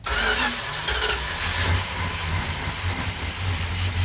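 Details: 1972 Plymouth Duster 340 V8 with 4-speed at first start after build, on choke. It catches and runs lumpy and uneven with low stumbling thumps; ignition timing is too far retarded and needs advancing.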